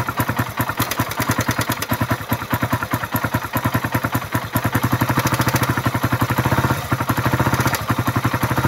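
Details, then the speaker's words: Suzuki Raider 150 started after a new battery (the old one was killed by regulator overcharging) and fresh oil: loud, steady ticking clatter at idle from internal wear after the engine ran dry of oil. "Patinggan natin yung makina dahil maingay yung makina nito. Dalawa ng natuyuan. Ayan yung pumipitik na yan."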